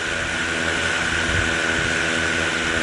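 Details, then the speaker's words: DJI Mavic Air 2 on a desk with Master Airscrew Stealth props, edges smoothed to cure vibration: a smooth, even high whine from all four rotors with no wobble or buzz. Normal run, with far less vibration than before. "the difference between the master air screw stuff props and the the dji props uh is is so small when it comes to performance and you know it seems to be not vibrating as much so smoother smoother performance"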